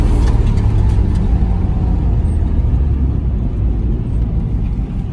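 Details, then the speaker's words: Nissan 350Z after fixing a long-running no-crank, no-start problem traced to a cheap, previously replaced part (cheap AutoZone Duralast starter previously fitted). Steady, even running with a deep, smooth rumble and no knocks or misses; healthy. "Yo, that sounds so much better than a rolling start. You know what I mean?"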